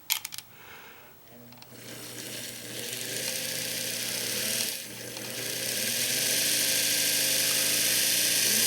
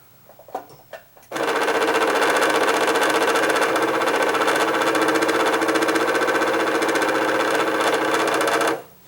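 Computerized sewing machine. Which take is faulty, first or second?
second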